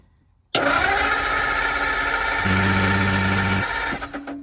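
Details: 1949 Ford Shoebox cranking with choke: starter spins steadily about three seconds but never catches; no spark reaching the points, crank no-start from no ignition power to points.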